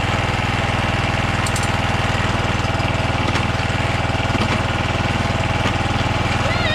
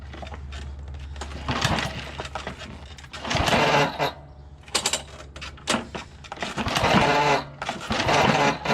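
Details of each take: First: John Deere JX75 walk-behind mower after drive cable and clutch lever replacement, restarted with the spark plug refitted. Even, steady single-cylinder putter at about four beats a second with no misses or knocks. Normal running. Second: John Deere JX75 walk-behind mower after drive cable replacement: several quick recoil pulls spin the engine freely and it never fires; spark not put back on.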